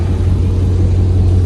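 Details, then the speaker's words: Dodge Durango RT V8 at idle after the exhaust leaks were fixed and the tips extended out the back. Quiet up front, with a deep, smooth, steady rumble at the rear and no ticking or puffing from leaks. Normal, sealed idle exhaust note. "Sounds good. Quiet up front, and then when you get to the back, that's when you hear the rumble."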